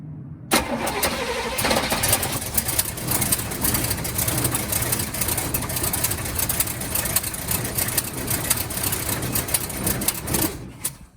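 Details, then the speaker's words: 1971 Cadillac Coupe de Ville V8 sat 15 years, first start on starter fluid with fresh 91-octane fuel in tank holding white sediment: catches, runs ragged about ten seconds, fades and stalls; owner suspects fuel starvation. "oh so so as you guys saw the car pretty much started and wanted to idle it feels like it's not getting fuel"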